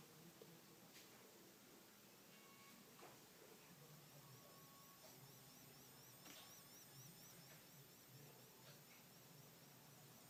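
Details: iMac in sleep mode with hard drive asleep and no fan spinning: faint, steady white-noise hiss with thin warbling high tones, like an unplugged guitar amp; electrical hiss.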